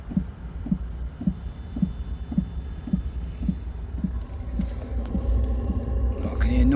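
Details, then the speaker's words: maXpeedingrods 12V 5kW diesel heater fitted in a garden office, start-up: glow plug warms, then soft even dosing-pump ticks about twice a second and a rising whoosh as combustion lights, casing still cold; normal start-up. "noise that's warm and dieseling that sounds like we got combustion if you can hear that that's definitely getting warm"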